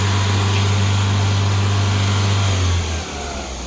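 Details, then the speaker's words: 1996 Ford Mondeo, 1.6 litre gasoline, manual: idle hum holds then sags in pitch and level about three seconds in, idle rpm not constant; it sounds fine when revved but not at idle. "so when you rev it up it sounds good when it's at idle it doesn't sound good"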